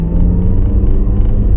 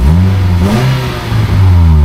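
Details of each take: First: 2011 Nissan Juke 1.6 petrol on road test after brake change, accelerating through third, fourth and fifth gears: deep steady drone pulling smoothly, no misfire, stumbles or gear crunching; healthy engine under acceleration. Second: Nissan Juke 1.6 petrol revved: a rough chuffing puff on the exhaust note; blowing exhaust around the middle box, owner suspects a failed joint near the catalytic converter or a worn flex pipe.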